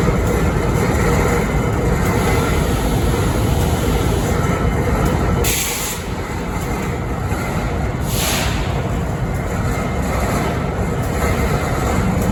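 Deep diesel idle rumble with bright hissing bursts every few seconds; an odd noise at idle whose cause is unclear.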